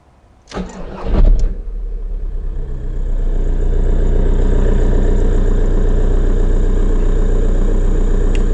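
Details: Skoda Fabia 1.9 TDI after an oil change, four new filters and fuel filter bleeding with the lift pump: brief crank, clean catch, then a steady, even diesel idle; normal start and idle.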